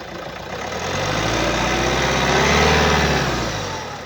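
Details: 2015 Hyundai i30 GDH, 1582 cc D4FB diesel, 81 kW/110 PS, 106,229 km: steady idle with a low droning rumble that swells and fades, uneven labouring note; caused by a clogged diesel particulate filter.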